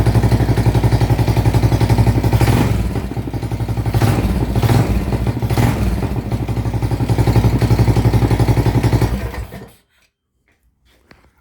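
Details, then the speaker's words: Predator 420 engine with Stage 3 kit swapped into a Coleman BT200X minibike, 1.6 hours on it, choke pulled, started after a long sit; quick even single-cylinder thumping held steady then shut off, runs beautifully. "there we go thing runs beautiful"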